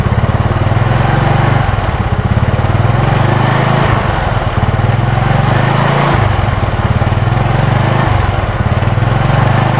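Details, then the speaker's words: Yamaha Mio Sporty at half throttle with original Yamaha 5TL CDI fitted in place of a non-original unit: crisp, even firing beat holding steady with only small dips; runs smoothly, the non-original CDI stumbled once hot. "saya coba menggunakan CDI Yamaha yang ori 5tl Coba kita hidupkan ketika di gas setengah saja sudah beda dari suara"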